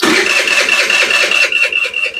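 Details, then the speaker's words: 2022 Chinese carbureted scooter brought in as a no-start: quick steady starter whir with even chuffs and no firing yet while the carburetor fills for the first time. "it's going to have to fill the carb for the first time so we'll give it a sec"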